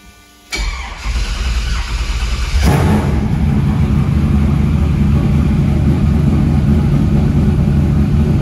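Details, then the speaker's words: Truck, cold start: catches and settles into a loud idle with a faint quick tick about four a second; cold oil pressure about 60–70 psi at idle is fine, so a lifter or rocker is suspected. "Definitely got plenty of oil pressure at idle, so it's definitely either a lifter or a rocker."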